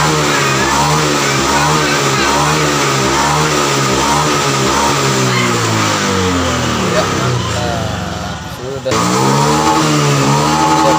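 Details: Honda Vario FI scooter that sputtered at high rpm, after the TPS sensor was reinstalled and repositioned slightly upward: repeated throttle blips rise and fall smoothly with no stumble or cut-out at the top.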